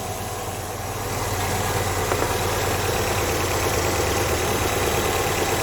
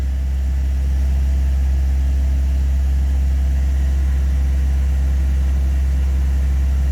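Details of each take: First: Classic carburettor and distributor car, choke off, vacuum advance plugged. The even, busy idle sits above its normal 950 rpm, around 1000, and swells after a second. Ignition timing at about 10° BTDC is too far advanced and makes it race; mixture may also be off. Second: Classic carbureted engine with a distributor after a tune-up, timing reset to 8° before top dead center and temperature coming down: steady, even low idle with no misses or knocks, running smoothly.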